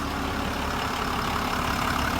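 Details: Motorhome RV started after its dead battery was charged to 12.1 volts, with the charger turned up to 50 amps: a steady low engine rumble with an even drone and no knocks or misses, plus a little wind. Normal idle.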